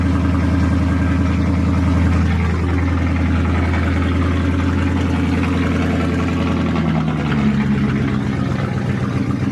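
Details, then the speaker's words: 1999 Mercedes E55 AMG V8 with misfire and check engine light, after replacing spark plugs on cylinders 5 and 7 (coil packs suspected): low, steady, even burble at idle, sounding much better than before; normal idle. "that sounds way better compared to how it's been sounding"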